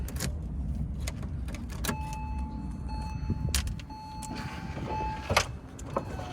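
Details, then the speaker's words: 2003 Porsche Boxster (tiptronic), flood-salvage car bought non-running; key on, engine not starting, short steady window motor whines starting and stopping cleanly as the windows go down — power windows working normally. "Windows are working. That's a good thing. So if I put this, the windows go down."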